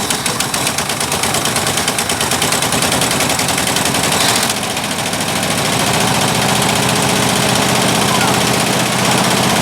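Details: 1958/59 Ford F600 grain truck with a 330 V8 on its first start after years sitting, sticky throttle: uneven pops and barks settling to a higher roar; fuel from the float bowl vents shows an overfull bowl, stuck needle or float suspected.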